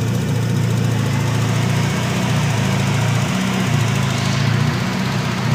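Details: Nissan SR20DET, stage 3a, 555 Nismo injectors, Z32 AFM, AVCR boost controller, won't rev past 2500-3000 rpm with MAF plugged or unplugged: low rumble sags and wavers midway, recovers, wanders again; irregular idle, cause unknown.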